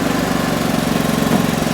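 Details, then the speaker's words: Predator 4400 inverter generator (3500 W continuous), no load, running in eco mode: low, quiet, even putter at steady idle with no misses; normal idle. "it's just quiet right now on on eco mode which is rather quiet"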